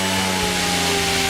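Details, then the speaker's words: Goblin 500 electric RC helicopter back in normal mode at half stick after cycling through idle-up modes: smooth, steady whine at an even pitch, sounding like the correct 75% headspeed, whereas the first spool-up goes to 100%. "now that is that sounds like 75 percent to me"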